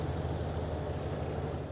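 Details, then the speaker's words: Auction car with aftermarket intake and a check engine light on, recorded under the hood: deep, even V8 idle, steady low rumble with no stumbles, knocks or shaking; idles smoothly. "really doesn't sound too bad it doesn't it's running smooth the engine isn't shaking like"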